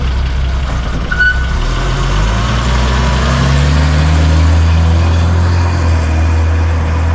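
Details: 1981 BMW E12 on test drive after AFM recalibration, fuel line replacement, injector cleaning, ignition timing set and loose grounds fixed: smooth, steady low engine note rising evenly in pitch as it pulls away, no stumble or misfire; normal running.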